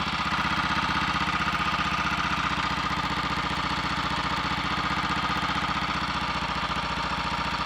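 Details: Royal Enfield 350 Redditch Bullet on first start after a full engine rebuild, sump deliberately wetted: a steady single-cylinder thump with a faint light tap, caused by slightly over-advanced ignition timing found by strobe; resetting it quietened the tap.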